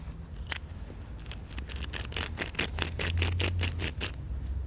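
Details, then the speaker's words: Worn wheel bearing removed from a 1954 Plymouth Savoy, spun by hand: rough, gritty clicks and crunches two or three times a second; the race is chewed up and looks almost melted. "i'll show you look at the bottom of that race it's all chewed up it looks like it almost melted it should be quiet like this and be a nice shiny race clean"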